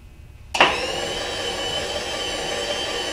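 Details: Newly installed X-axis power feed motor on a Bridgeport milling machine, first test run: switches on with a sharp start, then settles into a steady even whir with a high whine on top; feed motor running normally.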